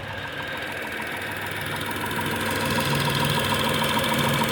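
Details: Tata Tiago XZ+ BSVI at 2,900 km odometer, idling: sudden sharp regular knock about three per second tapping over steady idle; cause unknown.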